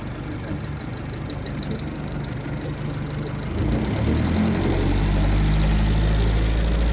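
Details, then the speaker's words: 1953 Lyman Islander wooden boat inboard engine (Gray Marine tagged), 6-volt batteries, spring start about 40 degrees below operating temperature: low steady throb smoothing and firming after a few seconds, even firing, no knocks or misses; normal idle. "Yeah, once it gets idling, it runs real nice."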